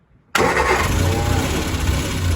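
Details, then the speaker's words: 1966 Triumph Spitfire Mk II with timing, carburetor, throttle linkage and battery problems, won't idle: engine catches abruptly, then runs rough and uneven at low speed. Applying throttle kills it; a contact was found worn; cause unclear. "God God gas seems to be killing it go ahead go and try it"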